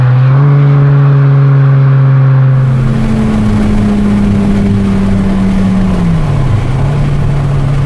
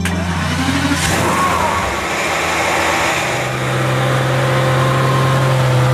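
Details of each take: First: Aston Martin DB7 V12, revived after years-long storage killed the original engine: strong smooth pull accelerating into the red zone, pitch dropping cleanly at each gear change, no misses or knocks; healthy. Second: Aston Martin DB7 V12, replacement engine fitted after car sat over 5 years, on the road: uneven, stumbling beat as it pulls away, misfiring on several cylinders; No. 2 fuel pump fuse out, pump failed, water found in tank.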